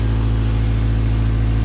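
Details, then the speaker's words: 1999 Acura Integra GSR after replacing the failed fuel pump: pump primes with key on, then engine runs with a steady, smooth low hum and no stumble or misfire; normal running after repair. "Oh yeah, the fuel pump turned on. Let's see what's going on now. See, easy fix. Got it back running."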